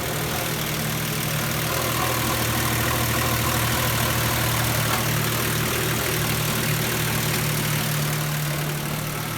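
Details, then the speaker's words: 2006 Nissan Pathfinder 4.0 V6 petrol idling: slightly uneven, lumpy beat from a cylinder misfire, running very rich per lambda sensor voltage; coil packs to be checked. "it's got a cylinder misfire and it's also really rich"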